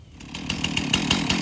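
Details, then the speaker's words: Stihl MS271 chainsaw running evenly after a tune-up kit for rough idle and stalling, including a new fuel filter; steady buzzing drone with a regular pulse of about six beats a second. Normal running. "all that maintenance going be running a lot better"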